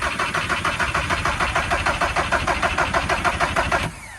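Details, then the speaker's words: VW Caddy pickup with a 1.9 TDI PD130 diesel, fitted with a new starter on a spade connector and cranking much better than the old one. It cranks briskly at about three beats a second but never catches: a crank no-start later traced to a loose ignition switch wire. "it cranks a lot better sounds completely different now obviously with a with a new starter"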